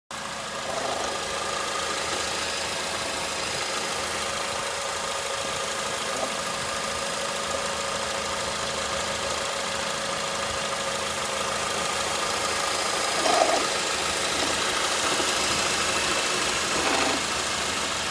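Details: 2007 Honda Accord 2.4L idling with a light, uneven intermittent metallic rattle from worn alternator bearings, confirmed by removing the belt from the alternator only; fixed with a remanufactured alternator.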